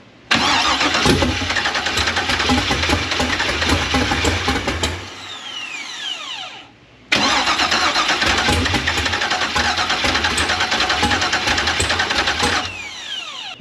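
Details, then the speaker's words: K5 Blazer with a newly installed Holley Terminator X EFI and large injectors: two cranking attempts with rough firing and pops that die out. It cranks and sputters but won't start; owner suspects the IAC lacks air. "it's banging and stuff like that it's wants to go but it's not it just doesn't want to go right now"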